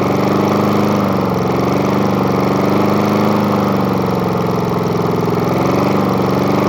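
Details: Murray lawn mower with spare replacement engine, started after repeated priming: single-cylinder holds a steady, even chug about three beats a second with no misses; runs normally.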